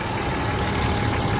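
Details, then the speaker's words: Toyota 80 Series Land Cruiser (FJ80) after fixing the power steering pump whine: steady, even idle with no whine, even when the steering is turned. "much better and if we actually move it around no more noise that's how you do it guys thanks for watching"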